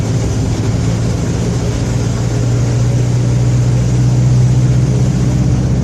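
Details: Mercedes-Benz OF-1721 BlueTec 5 bus, Torino 2014 body, fleet 3339, recorded 2022; steady low drone around a hundred hertz under constant drive over road rumble, rear differential roaring under load; differential whine.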